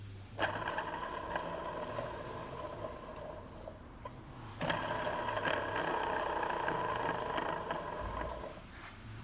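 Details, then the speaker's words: Old water pump from a 2012 Mercedes C220 CDI OM651 that leaked coolant, spun by hand off the engine; a rough, gritty whirring with lots of bearing play, unlike a smooth new pump; worn bearing. "so let's just have a listen to the bearing of the water pump I'm not sure if you can hear that but also it's got quite a lot of play on the bearing"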